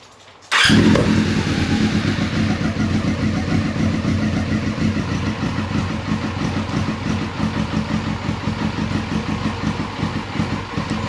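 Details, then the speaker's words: 1999 Yamaha R6, carbureted, first start in 10 years with jump pack and external fuel tank: catches then uneven lumpy idle, sounds like running on three cylinders; one carb dumping fuel. "now obviously the bike is sounding a bit rough like it's running on three but a start is a start"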